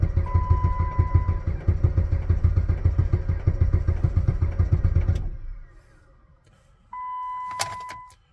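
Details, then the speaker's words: Jeep Patriot at -36 to -40°C/-40°F with failed block heater, pedal held to floor to clear fuel; about three and a half slow labored starter beats per second for five seconds, never catches, then a chime; extended cranking in extreme cold, no start. "I'm really worried about my starter it's never worked so hard in its [Music] life come on"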